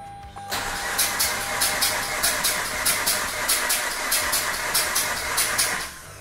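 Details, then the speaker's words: Mazda RX-8 suspected low compression, compression tester on rear rotor, clutch and throttle down: even, steady cranking at 283 rpm; healthy starter, rotor faces 107/104/103 psi within spec; normal cranking. "there we go we got 283 rpm for cranking so this is a healthy starter"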